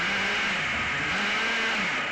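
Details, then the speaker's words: Rebuilt nitro ACME Condor rally car, small glow engine warmed up in shed (about 19°C, 55% humidity), after needle adjustment: high buzzy revs rise and fall cleanly with throttle, no stumbling; not running hot. "but it ticks over it's not running hot um the car isn't revving its nuts off"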